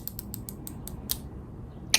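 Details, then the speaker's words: Ozempic injection pen set to its highest dose and pushed against the arm: crisp, even clicks about eight per second for a second, then a final click as the dose is delivered normally. "you stick it in your arm like so and push on this part you hear it clicking down"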